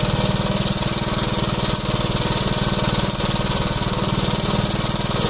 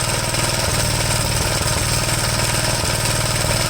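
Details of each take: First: 1973 Gravely C8 with a donor engine installed, after setting the ignition timing: the single cylinder thumps at an even, steady beat with no pops or backfires. The earlier backfiring has cleared. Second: 1973 Gravely C8 with a donor engine just installed, running: an uneven, stumbling single-cylinder beat with occasional backfire pops. The misfire was suspected to be the spark plug; a wrong plug had been fitted, and replacing it cleared the backfiring.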